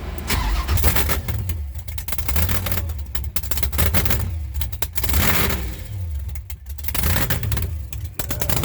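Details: Cold-day start of a boosted V8 hot rod with intercooler, after top-end work, new distributor and wires, and newly installed headers; it catches and settles into a deep, even rumble with clean throttle blips, no knocks or misses. Normal cold start and revving.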